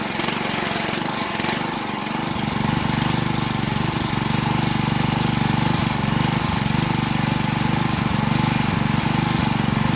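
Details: Honda 6 hp pressure washer engine, sat outside 2–4 years with suspected water in the gas tank, after oil, gas and spark plug change and carburetor cleaning: catches and settles into a steady, quick, even putter at about four beats a second; runs smooth.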